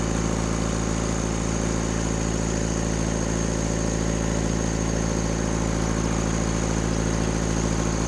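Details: Rebuilt Cummins diesel in a Case 1840 at fast idle, throttle propped open. Steady clatter with an uneven beat about three times a second points to a weak cylinder. In the balance test, loosening cylinders 1 and 2 changed little but reduced smoke; those injectors are to be pulled.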